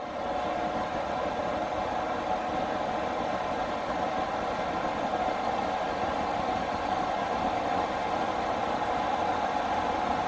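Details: Newly installed diesel air heater in a skoolie bus, after startup: a loud, steady rushing roar with an even mid-pitched hum and no knocks or surging, blowing lots of heat. Normal running at full fan.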